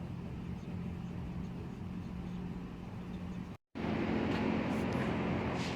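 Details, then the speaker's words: 2016 Jeep Compass, check engine light for cylinder 3 misfire; coil from cylinder 3 swapped to cylinder 1 and misfire followed it: low idle hum with slight recurring unevenness in the beat; faulty ignition coil causing misfire. "so now number one is giving me misfiring so you could see it over here on the screen so the problem with this car is the ignition coil"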